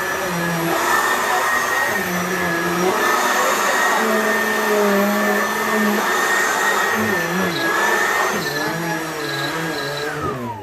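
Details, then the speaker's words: Simplicity Supralight upright vacuum on level 2: steady drone with a high whistle and short intermittent chirps that are not normal. Leaves accidentally sucked up may be caught in the airflow path. "That chirping sound, that's not what it's supposed to sound like. So that's a good example of like there's something up there that's making a chirping sound."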